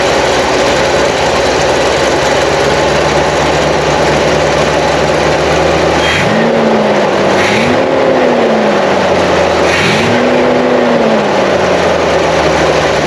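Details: Car that sat on bad fuel, running on fresh fuel after the tank was drained and the filter refitted: even, steady idle, then three clean throttle blips rising and falling smoothly; running healthy, no stumble.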